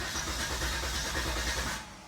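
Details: 2000 Volvo S70 with fuel relay trouble; starting attempt. Steady starter churning with an even low beat that never catches, then fades out; cranks but won't fire. Cause suspected, not confirmed.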